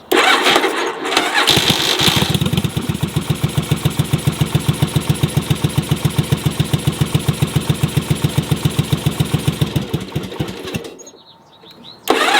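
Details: Yamaha Virago cafe racer project on fuel: starts, then idles lumpy at about four pulses a second and mostly runs on one cylinder. The second cylinder fires only occasionally, getting louder, then popping when it drops out; misfire, cause undiagnosed.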